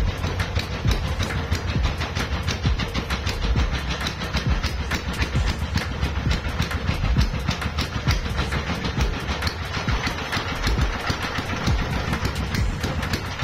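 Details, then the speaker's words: CD170 small single-cylinder diesel engine that won't start when cold: a fast clatter of knocks with a wavering beat; it runs but is not settled, and the mechanic suspects the injector plunger and plans to adjust the fuel line. "আপনারা হয়তো দেখতেছেন যে ইঞ্জিনটা start হয়ে গেছে, তারপরেও ইঞ্জিনটা start হয়ে গেছে কিন্তু ইঞ্জিন অ্যাকুরেট না।"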